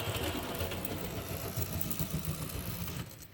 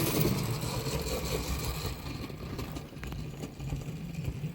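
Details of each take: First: HST model locomotive with CD motor and DCC conversion: fast, light, steady buzzing whirr that fades out, the motor free-spinning because the pinion has slipped off the cog; needs re-tensioning. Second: HST model locomotive with CD motor and DCC conversion at slow, realistic scale speed: quiet, even motor whir with soft track rumble, no stutter or grinding; runs smoothly.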